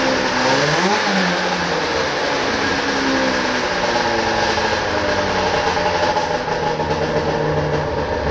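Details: 1995 Arctic Cat ZR 580 snowmobile two-stroke started up after carburetor troubleshooting: rises quickly after a short rev, then holds a steady, even buzzing run with no sputter or knocking; normal running.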